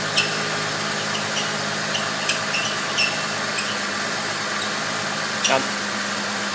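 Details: Ford 3.8L V6 Mustang (12-valve, same design as 3.0L Vulcan) idling: sharp, uneven belt-like chirps about once a second, actually from a worn cam synchronizer bushing, often misdiagnosed as belt chirp.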